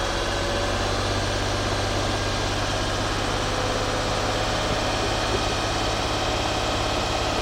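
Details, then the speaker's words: 2004 Nissan Maxima 3.5 with P0171/P0174 lean codes, after intake reinstalled, warming up with foot on gas: steady even hum at slightly raised revs, no misses, knocks or ticks; normal warm-up at raised idle. "I got my foot on the gas, guys, so let's warm this up a little faster. There we go, it's warming"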